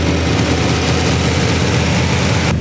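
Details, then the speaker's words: Poor man's LS3 V8 swapped into a BMW E46 on stock manifolds, first start-up after ECU base-map setup: deep, steady rumble with an even beat, no knocks or misses, quieter than expected; normal healthy idle. "it sounds too good sounds too good like i thought it was gonna be loud and but it's not it's not it's good it's good"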